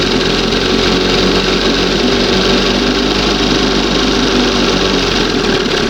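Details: 1971 Johnson 20 hp two-stroke outboard, warm: busy, high, slightly uneven buzzing idle; still pulling a little air from somewhere, owner suspects seal or makeshift hose; unsteady idle.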